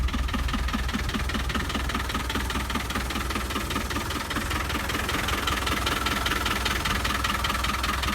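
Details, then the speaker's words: 1996 Land Rover Defender 110, first start of the day, in 4-wheel drive: starts on the first crank and settles into a steady, even diesel clatter with a regular beat and no stumbles; no white or black smoke. "So you'll see it starts up. First crank starts up. No white smoke or anything like that."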